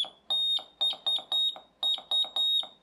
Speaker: drops the frequency and I can hear it so there we go that's i knows morse code kit revisited and just rebuilt onto an ordinary breadboard and it works